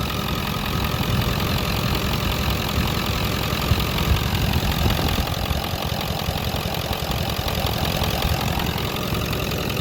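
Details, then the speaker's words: Diesel oil field donor truck idling: steady even diesel clatter, no misses or heavy knocking, no visible blow-by; tight, healthy motor. "no blow by that i can see that's a positive indicator"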